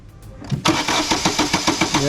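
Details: Vauxhall Astra, no start: even starter cranking at roughly seven beats a second, engine never fires; no spark, blamed on a failed cheap coil pack fitted by a previous garage. Crank, no start.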